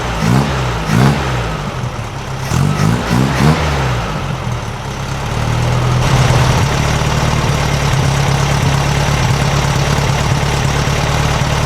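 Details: 1956 VW Beetle air-cooled flat-four with Solex carburetor at steady idle after valves readjusted to 0.006in feeler gauge: busy even sewing-machine chatter, much quieter than before, no loose valve rattle from either side; properly adjusted and healthy.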